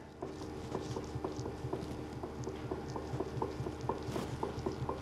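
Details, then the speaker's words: BMW E60 M5 on a lift, left rear differential output flange rocked by hand; light dull clunks about twice a second show the axial and radial free play behind the "M-Clunk" LSD problem. Excessive output flange free play. "you see how much free play there is in this side before this side starts to move so this is the amount of free play"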